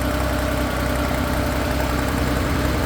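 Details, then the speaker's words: 1968 Porsche 911 L engine on the stand, cold, at idle; fine buzzing rattle from worn carburetor throttle shafts letting the throttle plates vibrate, noise coming and going with the throttle, felt and heard; shafts need replacing. "oh it's the throt shop yeah noise noise going away noise back noise going away noise back so it needs STS the plates vibrating is what you're hearing yeah I can feel it and hear it"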